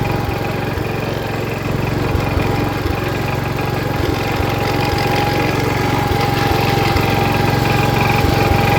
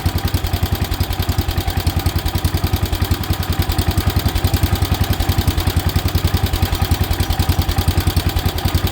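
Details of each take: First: 1977 Wheel Horse B-100 single-cylinder tractor in high range first gear, charging the battery: steady even thump with no knocks or misses. Normal running despite a questionable carburetor. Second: 1977 Wheel Horse B-100 single-cylinder tractor, started two days after carb work: uneven chugging that starts to run rough.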